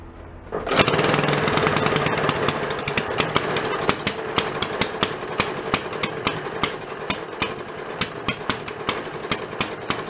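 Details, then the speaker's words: Antique Briggs small engine after carb and gas tank work: catches and runs with uneven popping, about three misses a second; carb visibly soaking over, float bowl fuel level not holding, suspected flooding carburetor causing rich rough running. "Not being able to have just enough fuel to do what it needs to do. Runs up. I can see it's soaking over right now."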